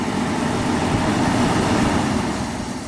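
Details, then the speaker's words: 1991 Audi Turbo wagon, fan relay jumped to compare speeds: steady airy whoosh, no rubbing, ticking or wobble, fan on low speed; relay three, the cooling fan delay relay controlled by the turbo coolant pump relay, is thought to be the low-speed one. "to this that's definitely higher speed so I think relay number three this cooling fan delay uh that's the one that's the low speed controlled by that whatever turbo coolant pump relay"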